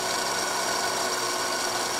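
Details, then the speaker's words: O gauge diesel locomotive motor bench-run under light power after moly grease on the plastic gears: even, steady high whir with no catching or ticking, much smoother than before. "All right, before I let this engine run on the track, I'm actually going to run it with a little bit of power in here to get the grease moving in. It might fling a little bit. It already sounds so much better than before."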